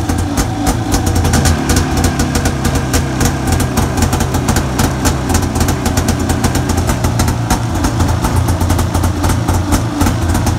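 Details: Arctic Cat 570 snowmobile, Japanese-built engine, electric-started on Varta AGM battery at −40° with full choke: steady, even two-stroke burble, no misses or knocks, holding speed smoothly; normal cold idle right after starting.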